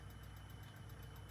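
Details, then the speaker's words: Philips cassette recorder (P6 mechanism) running during a wow and flutter test: quick, even ticking rattle about five per second over the motor hum, the cracked outer flywheel rim coming apart and striking the casing. "What the rattling normally means is the outer edge of the flywheel that always cracks is slowly coming apart and it's now hitting the casing in there."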